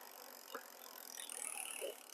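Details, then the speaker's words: Lectric XPremium e-bike at about 1,558 miles, after chain change, rear derailleur H limit screw backed off to stop chain trying to jump to 6th gear: soft even chain whir, no clicking or rubbing; derailleur now quiet and set. "I still hear it a little bit, so I'm going to back up a little more. There. So that, now my H limit screw is now set."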